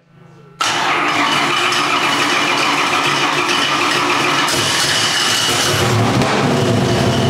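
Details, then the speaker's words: Big-block Chevy with two spark plugs per cylinder started on one ignition; switching on the second set makes the beat quicken and smooth, and idle rpm rises cleanly. "All right. So, you can hear it actually just picks up RPM."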